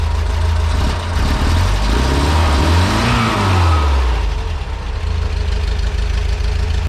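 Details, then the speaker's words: VW bus with air-cooled flat-four, warming after a cold start, idle raised slightly and transmission fluid topped up: idles low and steady, picks up cleanly on a throttle blip and settles back without dying. "But yeah, she's idling steady. I can rev it and it doesn't like die down."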